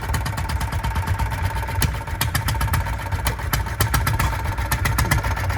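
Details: Antique single-cylinder engine on a small vehicle with Packard headlight at the Tri-State engine show, Portland, Indiana: low steady thump with light tappety clicks over crowd noise; ticks over evenly, healthy idle.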